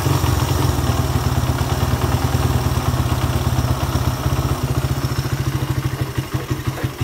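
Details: Suzuki Satria F150, which idled but would not rev, after a jumper ground wire was run to the engine (suspected corroded ground cable): crisp single-cylinder pulses rev up freely and settle to an even idle.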